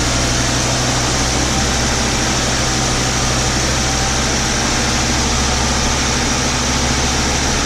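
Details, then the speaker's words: 1994 Audi 80 started after cooling-system and dash reassembly, coolant system filled with water only: steady even idle with a smooth low rumble and airy hiss, no knocks or misses; engine idles normally. "but there we go, it's in, dash is in, it starts, it runs. Why wouldn't it?"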